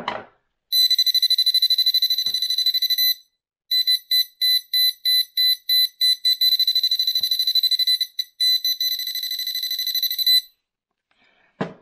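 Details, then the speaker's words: Pinpointer, powered on with battery and made to sound; loud shrill high-pitched buzz, steady then rapid stuttering beeps, even though the buzzer sits behind a closed shell. Normal buzzer tone. "Le buzzer, il fonctionne très fort."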